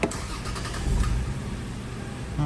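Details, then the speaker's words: Lexus GS 300, 115,000 on the clock, check engine light on, chugs and wants to stall when braking. Restarted after reinstalling a removed part: cranks, catches, then a still uneven, stumbling idle. Rough idle, no change; varnish cleaning planned next. "all right nice and smooth-ish not really okay no change"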